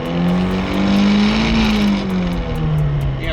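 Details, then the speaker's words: Nissan S13 revving steadily at about 6,000–7,000 rpm after an ISR Performance short-throw shifter install, GoPro near the shifter: a light buzzy rattle rides over the engine. Owner thinks the unweighted shift knob is the cause and a weighted knob may fix it. "about six to seven thousand rpms is where it actually rattles i think i can fix that with a weighted shift knob"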